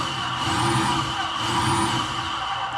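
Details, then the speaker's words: 2007 VW Rabbit 2.5L with overheating, secondary air pump triggered through a VCDS output test: loud, steady droning hum with no surging or rattle. Pump working normally. "secondary air cylinder Caen air pump this one's gonna be a little loud"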